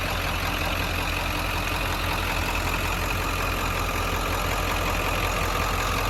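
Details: 1997 Ford F-250 XLT 7.3 Powerstroke diesel, 5-speed manual, 4x4, 69,713 miles, just started: steady even diesel clatter at idle with deep low rumble, no knocks or misses; healthy idle.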